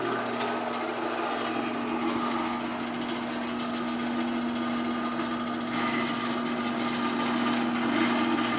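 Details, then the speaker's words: Sears 4-wire garage door opener after installing a new sprocket: steady motor hum under a fast, uneven rattle and scraping where a damaged section of chain rubs the vibrating trolley. The opener itself is much quieter. "A lot of the noise you're hearing is trolley vibrating and the chain rubbing against it. But the opener itself is actually much quieter."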